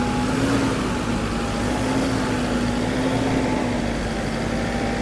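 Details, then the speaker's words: Toyota Fortuner diesel, owner complains of a very noisy turbo that was previously removed, with its gasket replaced: steady running with a thin, constant siren-like whistle above the engine note; turbo whine. "Pakinggan natin yung ingay ng turbo, no? Sige nga, paki-revolution mo nga. Parang sirena."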